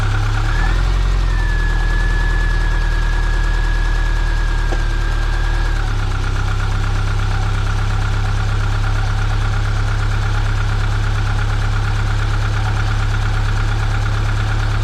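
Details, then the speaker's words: Subaru 2.5RS coupe flat-four running with a faint knock that follows engine speed and gets faster with revs but is drowned out by engine noise; the owner suspects rod knock but is unsure because it doesn't sound violent. "this distinct knocking that comes from the engine bay I can't quite say 100 sure that it is Rod Knock because it doesn't sound too violent"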